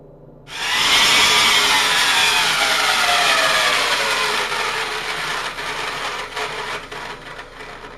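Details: Vintage Powr-Kraft 8542A modular router, 6 amp, before bearing replacement: high-pitched motor whine with a gritty, rough hiss, pitch sagging as it runs down, from worn motor bearings.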